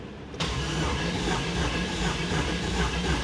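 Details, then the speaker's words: 1995 Pontiac Firehawk, 5.7 LT1, T-56, 117,000 miles, sat over 10 years, cranked with only two of eight spark plugs in: a steady, even, smooth starter churn, spinning freely with no knocks; oil pressure follows. "Uh so she turns over. Sounds smooth, which is great."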